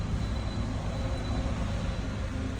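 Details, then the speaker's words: Tata Altroz petrol engine after ECM repair for a misfire, started with no engine light showing; steady, even low idle hum with no stumbles or misses; normal idle. "Start பண்றோம் okay engine light எதாவது காமிக்கல. ஸ்மூத்தா work ஆகுது engine."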